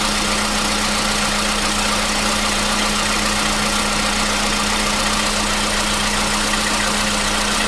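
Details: 2015 VW Polo Sedan CFNA, 76,000 km, cold start with new battery: steady, even cold idle with constant hum and no tapping or knock; the cold-start knock it had had since 2016 has disappeared.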